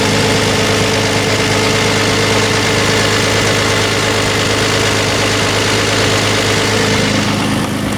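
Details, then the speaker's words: Toyota 1MZ-FE engine after owner's overhaul: steady, even idle with a busy mechanical clatter louder than it should be, no clear knock; owner unsure if anything is wrong, cause not pinned down. "please comment let me know if you hear anything wrong to me engine or if it sounds good"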